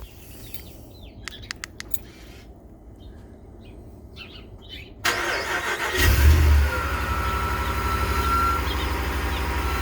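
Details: 2019 Ram 1500 cold start: engine cranks and catches, and a thin high squeal rises briefly over idle from the belt drive; alternator, battery and battery sensor replacements failed, and replacing idler pulley and tensioner fixed it.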